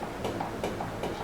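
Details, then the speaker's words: GMC 56-inch industrial ceiling fan in kitchen, at higher speeds: light ticking knock about every 0.4 s over soft whoosh; fan wobbles and rattles because blades are bent and uneven, not yet repaired. "bergoyang dan mengeluarkan suara lagi. Masalahnya ada pada mata pisaunya , posisinya tidak rata; Mereka bengkok."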